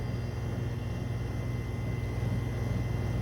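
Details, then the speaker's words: Repaired Neslab HX 75 chiller switched to cool, pump filter cleaned: steady, even low hum with no knocks or rattles as the compressor runs and refrigerant circulates; temperature drops and regulates. Normal running. "can actually hear the compressor working and refrigerant moving around"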